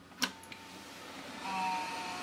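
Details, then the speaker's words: Old AMD desktop PC with a swapped-in Maxtor hard drive, jumper changed, just powered on: a click, then a steady mid-pitched whine rises over a second with fan hum; a loud drive that spins up and is detected normally. "okay that noise is fully healthy all right that's a loud hard drive it's detected the hard drive and it's loud"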